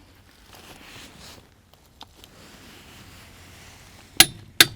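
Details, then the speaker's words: Torque wrench tightening car wheel nuts set to 108 Nm: quiet ratcheting, then two sharp metallic clicks about half a second apart as the set torque is reached, the signal to stop. "And when we get to 108 Newton meters, we're going to hear a loud click."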